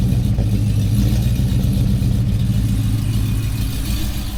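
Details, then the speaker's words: 5.3L V8 Silverado with 2024 C8 Corvette intake manifold, 2019 ZR1 throttle body, headers and colder intake, untuned: deep V8 idle hunting and stumbling, struggling to stay running; rough idle from untuned intake modifications. "yeah you can hear it having a hard time uh idling like I said none of this is tuned it's not even tuned for the headers the new intake the colder intake or the bigger throttle body so it makes sense for it to be you know having a trouble to stay on"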